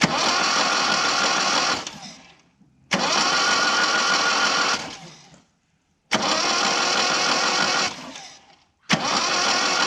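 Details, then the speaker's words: 1987 Mitsubishi Sigma, 2.6 L Astron, manual, very low km, not run for about 20 years, spark plugs removed: quick, even starter whirring in short bursts, no binding or clunks; turns over freely. "Sounds good. Spins over nicely, I guess."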